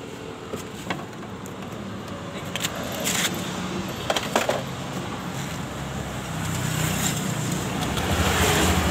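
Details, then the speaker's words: 2021 Honda Scoopy idling with rough noise from the CVT case: uneven rattle about four beats a second coming from the variator rollers, while the clutch is not making noise; variator and rollers to be replaced. "yang terdengar dari bak CVT dari Scoopy ini terdengar suara ruler dan fambel tidak bunyi"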